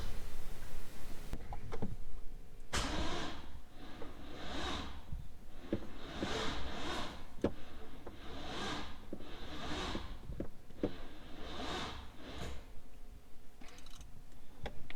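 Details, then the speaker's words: Freshly built LS3 swapped into a C6 Corvette, first start: a heavy, dragging crank with uneven slow bursts roughly once a second, acting almost seized, never firing. It turned by hand with a ratchet before install; tight bearings or a ground issue suggested, unconfirmed. "It was able to be cranked over by hand with the ratchet before I put it in the car, but now, as you heard, it's not wanting to turn over, and it acts like it's almost trying to seize, and I don't know why."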